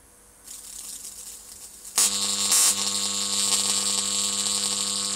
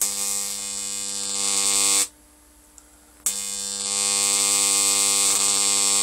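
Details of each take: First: Homemade high-voltage transformer with new, better-insulated secondary coil: quiet hum, then harsh steady sizzling buzz as an arc strikes and holds evenly across a 2-inch gap. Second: Homemade high-voltage transformer with new secondary coil, about 20 volts input: harsh hissy electrical buzz switching on and off in bursts, corona leaking from the high-voltage side, audible through the handle.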